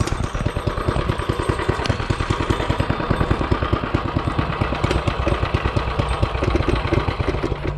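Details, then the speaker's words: Coleman CT200U-A mini bike, first test start after a Hisun 196cc engine install: loud single-cylinder chugging with uneven, lumpy firing pulses and no steady beat; runs rough, oil checked good, cause not found. "That don't sound good. Well, let's check it out again. Check our oil. Oil's good. I don't know why she sounds like garbage."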